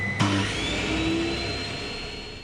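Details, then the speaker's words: Dust extraction system on a Triton saw bench running before the saw is started: steady airy rush with a thin high whistle, gently fading; drawing air normally. "before I actually fire the saw at the water source on running is the dust extraction system sucking air and"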